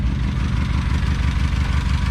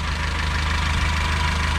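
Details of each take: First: 2007 Honda Civic at idle with a cylinder misfire code (read as P0302): uneven, lumpy thumping with a stumble every few beats and heavy shaking, one cylinder misfiring. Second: 2007 Honda Civic, previously shaking with a cylinder misfire code, after replacing that cylinder's ignition coil: a steady, even idle with a smooth regular beat and no stumble or shake. Normal idle; the misfire is fixed.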